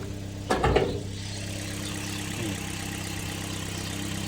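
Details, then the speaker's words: 2008 Toyota Vios automatic at idle, just started: after a brief bump, a low, even hum holds steady with no ticks or knocks; seller calls the engine quiet; normal, healthy idle. "ตอนนี้รถสอ่าสตาร์ทเครื่องอยู่นะครับเครื่องเงียบนะครับเครื่องถือว่าเงียบสักครู่นะครับ"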